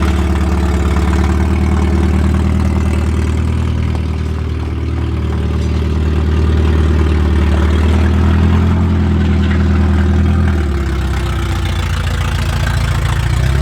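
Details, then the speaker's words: Car at idle with a loud, rough exhaust: deep burbling pulse and raspy puffing, louder than a sealed system; owner suspects the header has snapped where it joins the exhaust, causing an exhaust leak. "fix my exhaust as you can hear it's pretty [ __ ] we're just going to have a look i think it's up where the header goes onto the exhaust that's snapped"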